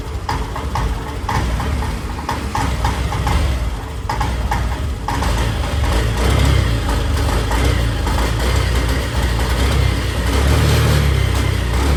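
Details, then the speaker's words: Honda Activa BS6 scooter, original petrol filter already replaced: small single-cylinder engine stumbles and hesitates unevenly when throttle is blipped, catching then dropping revs, no MIL light; misfire. "देखिए ऐसे हो रहा है, यानी missing type से, झटके type से ले रहा। कभी रेस पकड़ रही, कभी नहीं पकड़ रही।"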